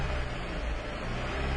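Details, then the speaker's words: 2010 Chrysler Sebring, fully warmed, intermittent severe low power: steady flat drone with rpm stuck near 1800 despite full pedal, no check engine light; owner suspects throttle body problem; symptom then cleared. "car is really not responding rpms don't go above about eighteen hundred no matter how much I push down on the pedal"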